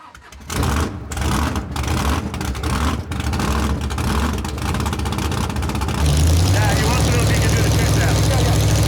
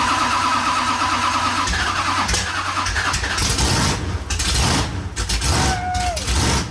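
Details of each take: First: Big V8 drag-and-drive car, not yet warmed up, cranks and catches roughly with lumpy, uneven firing that surges then drops off; it started poorly, cause not pinned down. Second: Drag-and-drive car at Sick Week 2025, first fire after the fuel pump was refitted with cleaned socks, a new gasket and new hoses: the engine catches quickly and revs up cleanly with no stumbling or sputter, partly masked by other noise; a healthy start.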